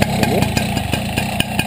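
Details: Two-stroke motorcycle at idle: a sharp metallic tap repeats about five times a second over the buzzing idle; knocking, possibly from a badly adjusted carburetor, cause unconfirmed.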